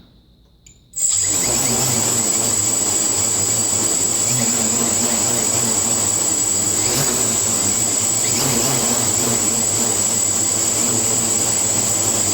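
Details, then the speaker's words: Quadcopter on a tuning stand, INAV PID tuning: pitch P gain set to an exaggerated 25; steady high motor whine with faint wavering as motors hunt back and forth, oscillating because P is too high. "let's go up to 25 just to exaggerate this so you see the oscillations that you're going to that you're gonna get when you give a stick and put it sis earn oscillates and that's because your pee is too high"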